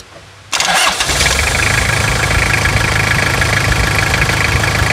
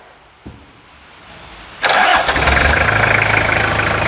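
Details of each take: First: 1999 Toyota Hilux SR5 2.8 diesel, started first try on an auxiliary battery charge: steady, clattery diesel idle with a rough knock running through it; engine knock at idle, cause not determined. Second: 1999 Toyota Hilux SR5 2.8 diesel. It had failed to start because of a weak battery. With an auxiliary battery charge connected it cranks briefly, fires on the first try and settles into a steady, even idle clatter: a clean start.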